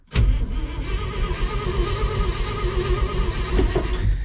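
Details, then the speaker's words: 1970 International Loadstar truck being revived after sitting locked up, cranked to test fuel pump pickup: laboured, dragging starter whir, engine turns slowly and heavily, getting harder to crank, never fires. "yeah she's getting harder to crank and uh she ain't busted off yet"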